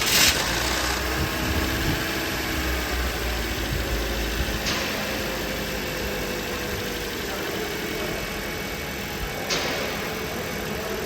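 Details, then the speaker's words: Toyota Corolla engine after timing chain tensioner replacement for chain noise: steady even idle with smooth hum, no rattle or chain slap; engine sound normal after repair. "हान तो दोस्तों आवाज़ engine की बिल्कुल normal है जिस तरह जिस तरह के होनी चाहिए"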